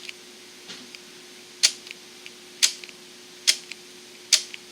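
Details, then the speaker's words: Four sharp, crisp clicks in about three seconds over a faint steady hum as a Märklin turnout motor (with digital decoder, address 105) is thrown from a Mobile Station 2. It switches cleanly and works normally. "Red means it will turn off. Green means it'll go straight. So you can hear it, but now let's see it."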